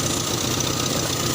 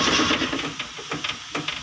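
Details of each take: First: Toyota Kijang after alternator wiring repair; engine started, charge warning lamp goes out while running, indicating normal alternator charging; short stretch of smooth even idle with steady hum, no knocks or odd noises. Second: Toyota Kijang cranked via manual starter hookup during alternator wiring: steady cranking pulses about four per second with hiss, no firing; cause found as disconnected ignition coil wire.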